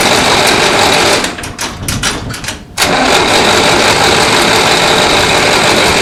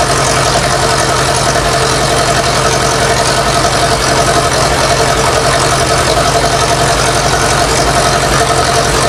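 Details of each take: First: 1960s Massey Ferguson 165 petrol tractor, water drained for winter, cranks about three times a second without catching; spark confirmed, only a little gas comes from carburetor, bowl suspected not filling, needle assumed stuck; no start from fuel starvation. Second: Massey Ferguson 165 tractor (1960s) running again after the carburetor was put back on: steady, even rumble with a quick regular firing beat, no knocks, misses or surging; normal smooth idle.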